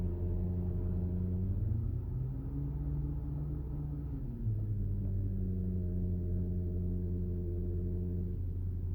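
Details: Porsche PDCC radial-piston tandem hydraulic pump (Cayenne, Panamera, 911 etc.): steady low hum whose tone dips and climbs with engine speed; normal pump whine, nothing broken, just the nature of the pump.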